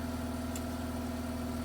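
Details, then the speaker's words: Mazda RX-8 rotary, after ignition coil replacement for P0300 cylinder 1 misfire, before a test drive; steady fast idle from about 2,000 rpm with a constant hum and no stumbles or uneven beats. Normal idle. "rpms are at 2000 and they're slowly dropping i don't know if this is too soon to say but this sounds smooth like this sounds like very smooth idle"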